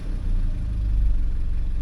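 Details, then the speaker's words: Terrano after repairs, alternator diagnosed: smooth even idle at about 650 rpm, up from just under 500 with whole-car shudder before; steady rumble, no stumble or shaking, earlier hesitation settled. "It's idling at about 650 RPMs or so where it used to idle like just under 500 and like the whole car was just shuttering. Uh we don't have that shutter no more. It's barely even shaking anything in here. Sounds good honestly."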